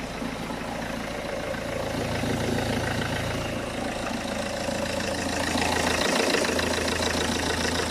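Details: Peugeot 406 2.2 HDi diesel idling on a freezing morning right after swapping the leaking high-pressure (R70) fuel pump, first start after priming; even diesel idle with a steady tick-over, no stumbling or misfire, engine sounds healthy.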